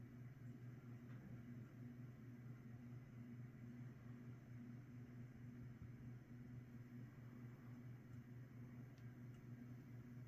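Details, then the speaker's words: 1980s Saff Enterprise Flush Polo 52" hugger ceiling fan on medium speed; this one has better bearings, so it is quieter, with only a slight noise and a low steady hum with no rumble. Running normally. "this one also has better bearings in it too not as loud make a slight noise but but yeah runs pretty well pretty good"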